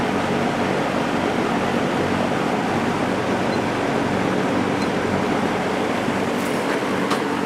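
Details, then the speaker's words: JCPenney Lakewood 9711 box fan with a 3.1 A GE motor, regularly oiled, tested after attic storage: started on high, then run on medium, an even, steady air rush with no rattle, tick or pitch wobble, running smoothly. "this is a really powerful fan"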